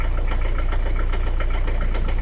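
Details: 1985 Peugeot 505 turbo-diesel XD3 engine idling with a steady, regular knock about three times a second over the diesel clatter. It is a rod knock after hard driving, and the engine needs replacing.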